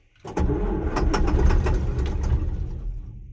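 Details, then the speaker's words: John Deere 6620 sidehill combine diesel, not started in about a year, battery on solar charger, in neutral, given ether: uneven chuffing cranks with a few loud catches, nearly firing but not catching; cranking without starting. "Probably going to just crank it for a bit and see what happens. Give it a little bit of ether."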